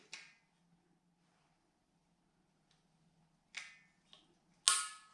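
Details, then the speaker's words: Propane BBQ/heater with the burners off: the tank is opened, a quiet room, then a few short sharp ticks as the regulator clicks in normally and the line reaches maximum pressure. "there you hear it so that's the click from the regulator now the system is ready to go there's maximum pressure in the line"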